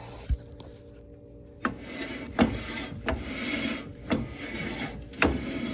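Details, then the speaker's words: 1994 Toyota 4Runner rear drum brake with a new drum, turned by hand after adjusting the star adjuster; slow rasping grind about once a second shows the shoes set too tight and dragging, before backing them off to a light drag. "You hear how it's grinding? A little too much. So that's a little firm."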